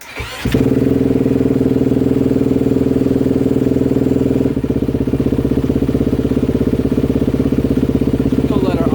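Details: 2020 Honda CRF250R after full engine rebuild with new crank and piston, first test fire: catches right away and settles into a crisp, steady single-cylinder idle with even firing and no knocking; normal idle.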